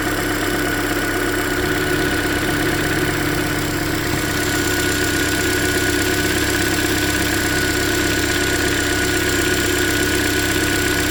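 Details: 2013 Hyundai Elantra, about 100,992 km, near yearly oil change, idling: light, irregular fast tick loudest at cylinder 3 middle bolt via stethoscope; owner suspects deeper than lifters, possibly piston slap, unconfirmed.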